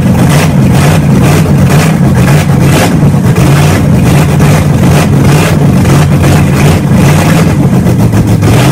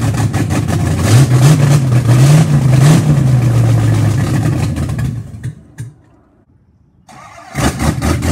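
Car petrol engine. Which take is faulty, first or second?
second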